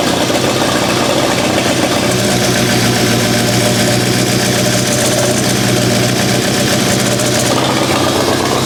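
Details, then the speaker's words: Abandoned Mitsubishi Evo 8 restoration with turbo, just started: loud raspy idle with a sharp hissing puff, then shuts off; wastegate arm appears to lack tension to hold the flap closed, later shortened. "H it's almost as if there's not enough tension on that wastegate arm"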